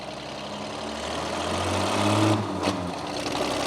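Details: Truck engine running after the squealing accessory belt was tightened: steady low hum, no squeal or chirp; quiet and normal, though may not last as the real fix is a shorter belt.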